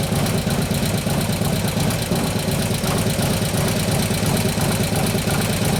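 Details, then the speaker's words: 2015 Harley-Davidson Road Glide FLH, 103ci Twin Cam, after camshaft install and new oil pump: steady quick ticking over lumpy V-twin idle; most noise seems to come from the front intake lifter, suspected faulty, not pumping up. "alright so sounds like it's the front front lift your front intake sound like most of noises from its even the chain screws in here aren't pumping out"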